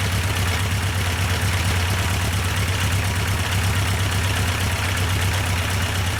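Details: Yamaha 1200 FJ four-cylinder, restarted with the fuel pump now running, during carburettor synchronisation: smooth, even low idle rumble with no knocks, misses or hunting, holding steady. Sounds healthy.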